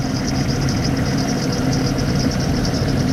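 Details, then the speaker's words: 1995 Jeep Cherokee XJ, engine rebuilt after frozen lifter: low uneven lumpy idle with faint stumble; unplugging number 6 injector causes no change, so cylinder 6 is dead; single cylinder misfire, also hesitation on acceleration. "So without a doubt, number 6 is definitely missing."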